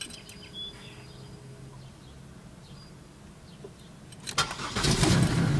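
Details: 2000 Pontiac Bonneville SE won't start: quiet at first, then the starter cranks the engine over briskly near the end without it catching; cranks but no start.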